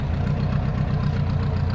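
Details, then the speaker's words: Engine with 44 IDF carburetors, warm, after fuel float level adjustment equalizing the fuel bowls: even, regular low pulses at idle with no stumbles or misfires, previously lumpy on one side; smooth balanced idle. "that smooth like smooth smooth it's always kind of like a lumpy on one side and then when it gets hot it's smoothed out now it's perfect"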